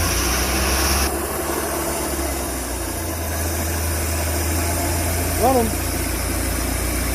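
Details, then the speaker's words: Pinzgauer engine started with a little choke and about five quarts of oil in it: a steady, even low idle with no misses or stumbles; runs cleanly and sounds healthy. "actually works pretty good this one's really good actually"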